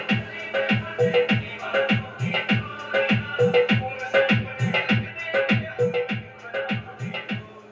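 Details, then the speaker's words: Stranger PBT701 amplifier after shorting check and repair, played with MP3 music at raised volume through a connected speaker: loud, full sound with clear beats and no crackle, hum or distortion; clean amplifier output. "तो दोस्तों आवाज़ इसका बिल्कुल साफ़ है, बिल्कुल clean आवाज़ है, कुछ भी दिक्कत नहीं है। एम्पलीफायर हमारा रेडी हो चुका है।"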